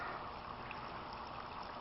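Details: Homemade aquaponics grow bed, a cut-down motor-home water tank fed from a large goldfish pond, bell siphon with 3/4 in standpipe and 1 in drain: steady, even trickle and splash with no gurgling or surging; flow sounds normal with the bell now working.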